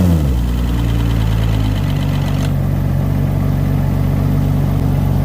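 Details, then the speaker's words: Yamaha outboard on a 32 Contender, just started with a water hose connected: a steady low idle with a light, fast clicking from lifters lacking oil pressure for the first 5–10 seconds. Normal for these Yamahas. "that clicking noise is the lifters not getting oil pressure for whatever 5 or 10 seconds it always does that every single Yamaha does that doesn't seem to hurt him"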